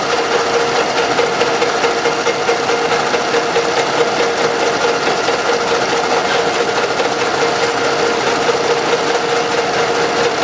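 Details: Camshaft knock, steady light knocking about two per second at idle, from excess axial end play in the cylinder-head bed. Owners reported a strong knock; oil was rarely changed or poor, with heavy blow-by deposits. Proposed fix: machine the original plug about 0.5 mm.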